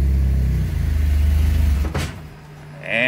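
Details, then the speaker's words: 1995 Mitsubishi Eclipse, manual, just fitted with a new clutch, in neutral: a low idle wavers, sags and dies about two seconds after the clutch is released while the car is still moving. Engine stalls, cause unknown. "so back in the car and I'm gonna get my foot off the clutch and it's in neutral so I'll watch this and it just died and I'm still moving"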